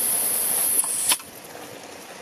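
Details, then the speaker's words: Mamod Quarry SM32 16mm live steam locomotive, gas tank filled from a canister held down about 20-25 seconds: steady high hiss of gas filling, then a short sharp spit-back and quieter hiss; tank full, spit-back is normal. "then you'll know when it's full because it will spit back but that is completely normal and that's how you know it's full"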